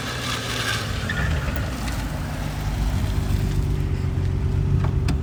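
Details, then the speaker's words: Infiniti G35, after replacing the rear differential with a welded diff and new axles, road test at cruising speed: steady road and tyre rumble with no whine, howl or clunk from the rear; only brakes and shocks audible now. "Even right now, this speed, I'd hear my diff. Now all Nice I hear brakes. Now I'll hear my brakes and my shocks."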